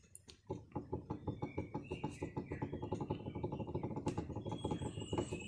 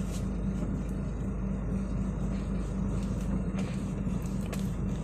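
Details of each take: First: Kenari car: dry, loose clicking rattle from under the steering, about two knocks a second, while driving, worse on gravel roads, with steering free play; noise is not from the engine. Cause: worn steering shaft U-joint bearing, replaced. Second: Car after replacing steering shaft universal joint bearing, driving over potholed road: smooth steady road rumble, no knocking or ticking from lower steering shaft; earlier clicking is gone.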